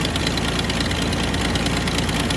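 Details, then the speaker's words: Idle still lumpy and uneven with rhythmic boom-boom thump after OEM coil pack and new copper plugs, codes not cleared; not clearly misfiring, owner suspects idle air control valve; also leaking oil from rear main seal. "All right. So, it's still idling pretty rough. It doesn't really sound like it's misfiring, but it's definitely idling weird"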